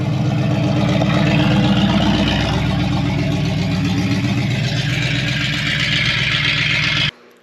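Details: 1972 Chevrolet Impala, parked for a severe misfire, after timing adjustment: steady, even engine run with a smooth rhythmic beat and no misses or knocks until it cuts off; sounds healthy, normal running.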